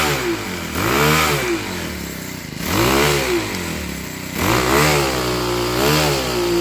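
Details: Troy-Bilt TB6044XP four-stroke trimmer after overhaul: revs up and back down about every two seconds, picks up cleanly with no misfire or rattle; runs fine.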